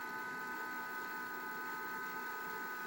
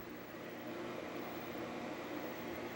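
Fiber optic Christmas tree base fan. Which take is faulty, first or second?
first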